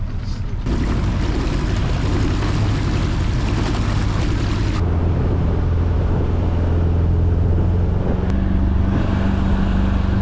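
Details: 2000 Lund 1700 boat with 90HP four-stroke Mercury outboard, first time on the water after restoration: steady low drone holding even with no knocks, skips or surging; normal running.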